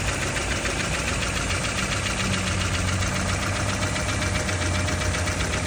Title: 1994 Tercel clicking sound normal??